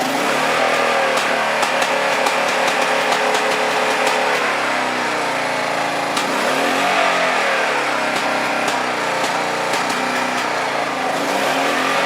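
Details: Honda PC800 motorcycle with electronic ignition: sharp irregular exhaust pops at barely cracked-open throttle; owner suspected low-speed jets, later found the battery had failed and low voltage upset the ignition.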